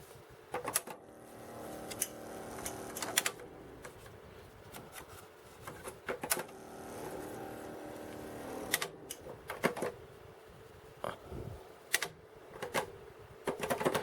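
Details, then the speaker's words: Yamaha cassette deck transport running: irregular clicks and clatter with rough whirring between them; the deck mechanism sounds unhealthy, probably needs new belts. "yeah this thing is just needs belts probably which I'm hoping for Yamaha stuff isn't hard to get"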